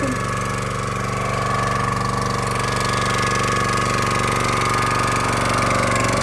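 Steady, even engine drone with a constant mid-pitched tone while the ram cycles; runs smoothly under load, no misses or knocks.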